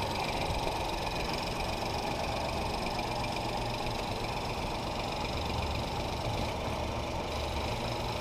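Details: 2018 Ford Focus SE, sat about three weeks, seller claimed water in a cylinder; just jump-started, white smoke, now in shop: steady but uneven lumpy idle as if a cylinder not pulling; cause unconfirmed.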